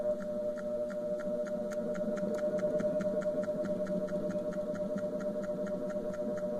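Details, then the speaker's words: Wanke spin dryer that previously only hummed without spinning due to a burnt capacitor, now spinning after touching a replacement capacitor's wires in: steady low motor hum with light regular ticking as the drum turns, running normally. "é verdade porque ela gente ficar rodando já está acontecendo"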